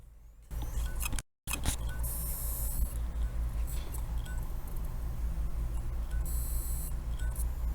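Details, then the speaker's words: LaCie external hard drive in for data recovery, plugged in and not detected by Windows: faint repeating ticks about once a second and brief scraping bursts over a low hum; failing drive clicking. "there's a problem with the drive there it's not even detecting them for Windows and you could hear making noises"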